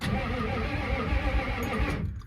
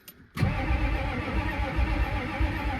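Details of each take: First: Ford F-350 diesel sitting 19 years, first crank after the batteries are installed; steady, even starter churn for about two seconds, with the engine spinning freely and not seized. Normal cranking. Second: Ford F-350 diesel that sat 19 years, cranked; two long, steady, even cranking runs with no catch or firing. Cranks but no start; checking for fuel flow, and a lift pump may be needed.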